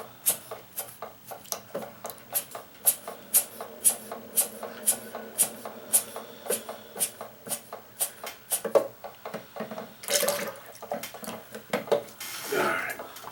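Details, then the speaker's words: Keurig K60/K65 that won't brew, possible coffee grounds residue in capsule area: rhythmic buzzing pulse about three a second, no water flow; pump laboring against clogged entrance needle in brew head. "it tried to empty the tank but it couldn't so that tells me i've got a clog somewhere in the head up here"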